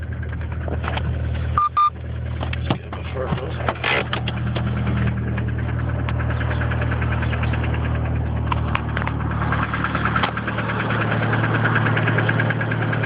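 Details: DSM engine at steady idle with a light, fast, irregular tapping over the low rumble; the owner is unsure whether it is lifter tick or rod knock.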